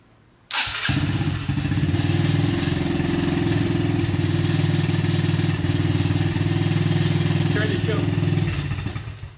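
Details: TTR-90 dirt bike that sat neglected without fuel stabilizer, started on choke: the small single fires and idles briskly, but dies immediately with the choke off; clogged pilot jet, carb cleaning needed.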